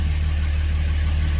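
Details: 2006 Dodge Ram 2500 Cummins 5.9 diesel, automatic, 225,000 miles, after replacing the AFC fuel controller for hard start and stalling: steady, even low diesel rumble at about 700 rpm idle, no misses, knocks or hunting; normal idle.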